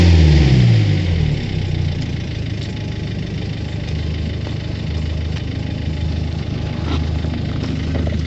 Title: Ford Focus 2 strange noise